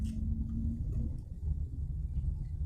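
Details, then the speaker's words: 2014 Toyota Avanza G 1.3 after replacing the rear lateral bushing, driven over a speed bump: only low road rumble with no rear clunk; the earlier thud over bumps is gone. "Hah, suaranya adem. Degdeg gitu doang."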